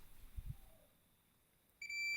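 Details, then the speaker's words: Fluke 287 multimeter in diode/continuity mode, probing a horizontal transistor: a steady high continuity beep reading 0.028, confirmed as about 28 ohms on the resistance scale. "Coba gerakkan ke samping, akan berbunyi bip. Ukurannya adalah 0,028."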